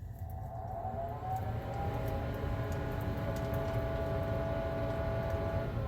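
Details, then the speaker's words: Weber SmokeFire EX6 pellet grill after replacing the auger assembly, started and set to 600 degrees: a smooth, steady fan whir with a faint even hum and no scraping or rattling. Normal startup; the glow plug then glows red. "they're all good mr. dink I can hear the fan let's check on the glow plug so no problem with that assembly at least"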